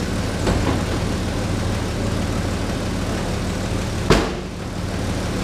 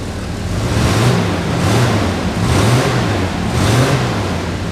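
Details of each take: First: 1985 Chevy S10 standard cab long bed, running after not being started for a few days, heard from underneath. A steady, slightly lumpy idle with a raspy puffing edge under the exhaust note: exhaust leak. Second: 1985 Chevy S10 standard cab long bed, started after sitting a few days: engine pulls up and settles smoothly with even swells. It runs smoothly, though an exhaust leak is audible.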